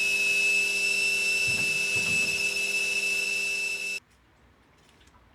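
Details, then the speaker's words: Indesit IWDE126 integrated washer dryer bought as faulty (stopped working, lights flashing); after cleaning, wash program runs with no lights flashing and spin sounds smooth, steady high drum whirr with no knocking, then winds off; normal spin cycle. "As you can see here, no lights flashing, but this time it was green lights flashing at the top before, and I'm just observing it. And here you can see it's just on a spin cycle."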